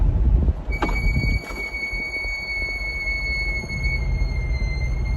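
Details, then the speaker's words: Brand-new Chevrolet C8 Corvette at 3,800 miles, windows down, rolling with a steady high-pitched brake squeal over low road rumble; squeal began around 2,500 miles and returned within 1,000 miles after the dealer replaced rotors and pads. "i'm gonna roll the windows down too so you can hear this freaking brake squeal that i'm dealing with that chevrolet doesn't want to do anything about because they say"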